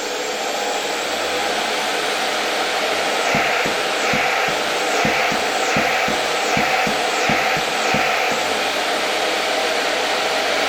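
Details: Electrolux model XII vacuum cleaner (1930–1936) motor running on a voltage regulator. Steady, smooth hum with an airy whistle of intake air as it sucks onto the board, no crackle or scraping, and only a faint old-bearing murmur. Runs fine.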